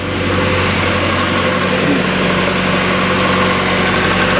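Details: 1994 Mazda Miata started after sitting through winter: steady, even idle with a smooth low hum, idle boost working, no misses, knocks, rattles or exhaust smoke; engine runs cleanly.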